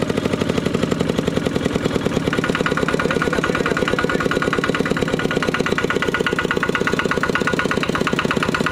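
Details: Used 12 hp RT120 single-cylinder diesel tractor with Sai Fah ZR frame and manual gearbox, test-driven: quick, even thumping at steady speed, no knocks or misses; normal healthy running.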